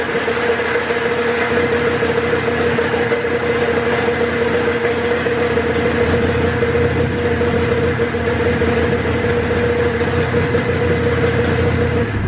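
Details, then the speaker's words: 1993 Polaris Indy XLT snowmobile in a cold garage, a free machine revived after a fuel issue: a fast, steady two-stroke buzz with a busy crackle and no misses. The owner suspects the idle is set too high but is unsure. "okay so now what I need to do is it just my idle I think it's too high"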